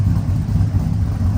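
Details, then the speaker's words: 1999-06 Chevy Silverado V8 with new Flashark headers and intake, revving: deep even rumble with crisp steady note, not obnoxious, no knocks or rattles; healthy engine. "And it's not obnoxious. It's not obnoxious at all. It's not bad at all."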